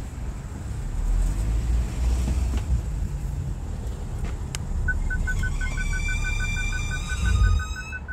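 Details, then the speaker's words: BMW F10 535i with N55 engine after belt and tensioner repair: a thin, rising squeal over the engine rumble as auto start-stop shuts the engine off at a stop, from crankcase air escaping a leaking rear main seal. "So you can see that when start stop activates, this is when the noise occurs. This would indicate in our in our experience what we've dealt with before on this car uh and this engine specifically is that the rear main seal is allowing air to escape the crank case."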